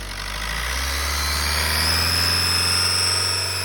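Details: 2007 Ford C-Max 1.8 TDCi diesel, thin high whine from the intake side, hot or cold, during engine braking in 3rd gear around 3000 to 2000 rpm, gone under load, no power loss; source unconfirmed: intake whine.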